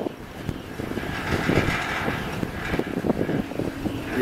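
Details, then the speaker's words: Homemade wind turbine on trial run, chain drive inside a box that amplifies the noise: irregular light clacks and rattles over a steady whirring hum. Drive chain rattling, with strong vibration. "the sounds are not pleasant from the box , the box seems to amplify all this, well, I hear the chain rattling, that's"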